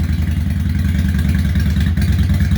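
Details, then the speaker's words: 2003 Honda Shadow 750 Spirit, carbureted 745cc V-twin, 26,337 miles, cold start on choke: deep, even loping idle with a slight exhaust crack-rumble, no knocks or clatter; runs clean, spitting a little water. "oh it starts right up like that got the choke you can hear the exhaust a little bit of a crack rumble going on it's just clean"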